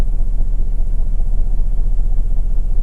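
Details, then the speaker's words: 2010 Mercedes-Benz GLK 350 3.5 V6 with P0017 bank 1 exhaust cam retarded code: deep lumpy idle pulsing about twice a second; cylinder cutout shows no change on cylinders 1, 2, 3 — right bank dead-cylinder misfire. "We use the cylinder cutout test to confirm in fact that it is not running on cylinders 1, 2, and 3, so I'm going to select cylinder 1. Cylinder should now be cut out. Engine doesn't change the way it runs at all."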